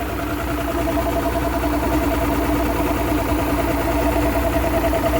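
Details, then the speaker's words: 2009 Mercury Optimax 250 ProXS DFI outboard after new factory-tuned fuel rail replaced torn fuel and air regulators that flooded pistons: smooth, even idle at about 570 rpm, previous clunk gone; normal idle, temperature climbing toward 140. "Yeah, sounds fantastic. Clunk's gone."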